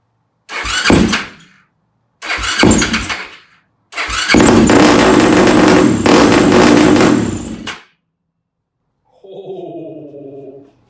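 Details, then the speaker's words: Yamaha YFZ450 single on its first start after rebuild with new carburetor jetting, airbox lid off and no choke, cranks in two bursts then runs a few seconds with an uneven, ragged beat before stopping; owner suspects too lean. "Oh my God. That sounds pretty interesting. All right, so I think it's too lean."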